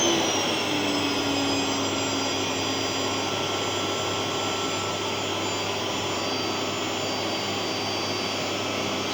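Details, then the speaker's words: Genér8 Power Max 2000W vacuum cleaner, old unit, on highest setting: steady, even loud motor roar with a high rushing whine and no rattles or surging; vacuum motor running normally. "and that's its highest setting so yeah it is pretty loud actually when it's uh when it's on high"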